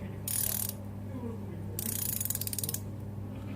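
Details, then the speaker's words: Newly bought combination ratcheting wrench set: crisp rapid ratchet clicks in two short bursts, a touch stiff but even, over a faint hum; working normally. "ну да здесь срочно что прям трещит здесь поменьше они по-разному работают но главное работают"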